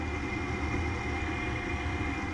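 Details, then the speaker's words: Furnace inducer motor just replaced: a steady, even motor hum with a faint constant tone and no rattle or scraping, much quieter than the loud original motor. "much quieter than the other one have to go back and look at that video you'll see how loud that one was"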